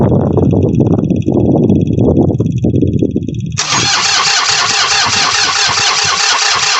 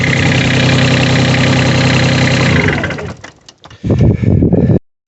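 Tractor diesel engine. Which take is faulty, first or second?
first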